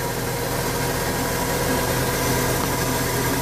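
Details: 1996 Ford F-150 with 4.9 300 straight six, after the harmonic balancer blamed for a belt-like squeak was tightened down: even, steady idle rumble under a hissy background with no squeak or chirp from the belt; idling normally.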